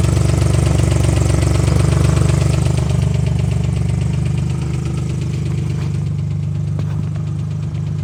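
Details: 2005 Ford Mustang: a sharp, even tick of about four per second over a steady idle, harder when accelerating; source unknown, owner wonders if it is an exhaust leak.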